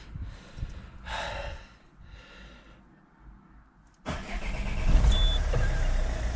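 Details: Citroen C4 Grand Picasso diesel on a minus-one-degree day after diesel filter change and priming: a few seconds of cranking, then it catches and settles into an even, steady idle; normal cold start.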